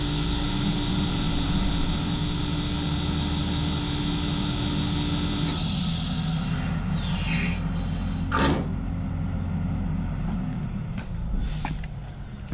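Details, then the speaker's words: Control valve at a potable water system, which had earlier failed to close and awaits a rebuild kit, turned off as a test: the steady pump drone drops away smoothly as the valve shuts and its stem moves, with no banging or chatter; it closes normally. "I'm going to turn it off and see if it shuts."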